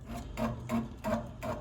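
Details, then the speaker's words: Furnace inducer motor at startup spinning faster, rhythmic rubbing knock about three per second; knocking from worn or loose rubber mount grommets, fix by tightening 1/4" screws or replacing grommets. "Now, when the system turns on, believe it or not, it spins at a much faster pace, and it makes some pretty aggressive knocking noises."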